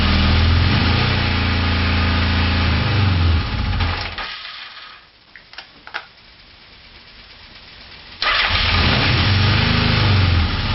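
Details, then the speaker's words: Four-cylinder motorcycle with ungrounded coils: engine revved, then plug wire one pulled with wire two already off; the note dips, then settles into an uneven, off-beat run on two cylinders. "so it seems not to matter whether the coils are grounded or not the bike does continue to run on two cylinders when plugged one and two are disconnected"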